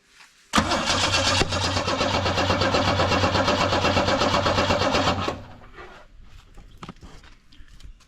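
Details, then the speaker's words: UC Torana with electronic ignition: starter spins at a steady even cranking rhythm about five seconds, never fires; spark confirmed, compression and fuel to be checked next. "And we do have spark. So really all you need now is compression and fuel."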